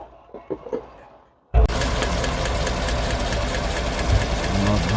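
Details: 2017 Chevrolet Silverado 5.3 V8, 25,000 km, AFM deleted, right valve cover off, running with coils unplugged: light quick tick following engine speed at idle, P0324 knock sensor code; number four pushrod bent again a year after replacement.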